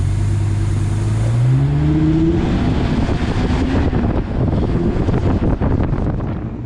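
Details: V10 Mustang build, started the next morning after rewiring the MAF sensor and reconnecting a forgotten main ECU plug: the engine catches and revs with a climbing tone, then settles into a steady rumble; engine starts and runs.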